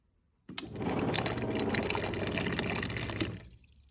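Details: Samsung fridge water dispenser: water pours with a loud, steady buzzing hum underneath, heard on every dispense; fan was not hitting ice after defrost and panel removal; clogged water filter was the cause, noise stopped immediately after filter replacement.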